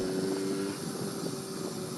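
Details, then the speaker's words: Barn-find 1980 Honda Express moped with new piston, rings, cylinder with bigger exhaust port, cooked exhaust and aftermarket carb, starting issue traced to slow fuel flow from tank/petcock: even, steady two-stroke buzz, clean held tone, no misses or rattles; running normally. "I would say the Express is running rather nice nicely well funding rather well still got a little bit of"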